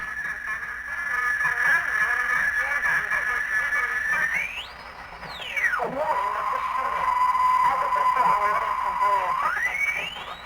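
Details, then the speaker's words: Unrestored circa 1947 TempleTone radio first powered up on a variac, B+ around 80–100 volts; only a wavering whistle swooping with tuning, no clear station, weak distorted reception. "I hear the radio [Applause] foreign [Applause] well it works but it's pretty sucky it's"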